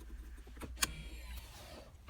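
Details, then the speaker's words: 2019 Ford Fusion taken out of brake maintenance mode: a brief electric whir and soft click as the rear parking brake motor adjusts and applies; normal operation. "And then we tap the brake, turn it off, turn it back on. Then we hear the parking brake adjusting itself."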